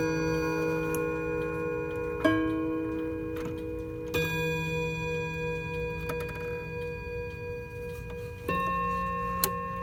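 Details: Hammond electromechanical mantel clock after servicing, running unplugged with the mainsprings needing a bit of winding. Clear chime strikes every few seconds over a light, steady tick show it is chiming and running normally.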